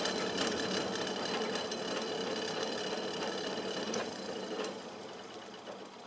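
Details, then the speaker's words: Old Montgomery Ward fan-forced radiant heater, rated 1350 W but drawing 9 A: a fast ticking rattle about three per second over the fan whir; suspected loose blade on its rubber hub plus bearing play, not confirmed. "I guess all that noise is probably just a combination of that blade being a little bit loose on that rubber hub and some play in the bearings."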